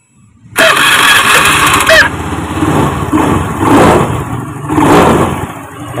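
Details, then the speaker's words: Honda Beat FI scooter that ran rough like a diesel, after replacing the faulty part with a new one; the engine catches quickly, revs briefly, then settles into a smooth, even idle with gentle throttle blips. "Mesinnya kembali beroperasi dengan lancar."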